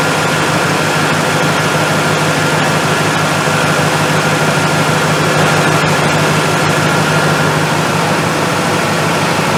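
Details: Dodge pickup 4.7 V8 with the check engine light on, idling during a vacuum gauge check before a rebuild; vacuum reads 17–20 inHg, but the engine struggles. Slightly uneven, loping pulse under a constant hum; sounds like a leaking exhaust valve on one cylinder.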